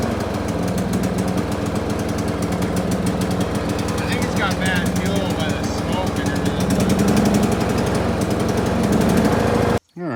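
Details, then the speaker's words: John Deere L100 mower after valve adjustment, starter suspected weak: small single-cylinder clattering fast and ragged with uneven surging beats; rough running, owner suspects bad old fuel from the smoke. "ties are really flat and it doesn't sound right but that's"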